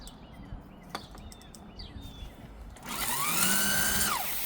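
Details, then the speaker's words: CYC X1 Pro Gen 3 mid-drive with X12 controller and factory throttles, bike unmounted with no stand: on power-up motor whine climbs, holds, then drops abruptly as drive cuts out with error code 30H and buzzing; issue persists in street and race modes. "You're gonna hear the buzzing sound. There we go again. So yeah, it's still frustrating."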